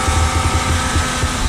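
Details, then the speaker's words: 2000 Nissan Maxima with Injen cold air intake, cold start idle; uneven low throb with faint steady whine, source unknown, others suggest pulleys; unidentified noise, cause unconfirmed. "That noise, I don't know what it is. People are telling me it might be my pulleys. I don't know."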